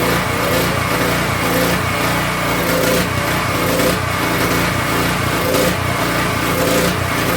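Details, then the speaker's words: King Canada 3000 W generator, no air filter fitted, loaded with a heat gun and making good voltage: engine note swells and sags roughly every second; hunting, owner plans to cure it with a new air filter setup and a new crankcase tube. "Our problem is the hunting. We're going to solve this by changing the air filter."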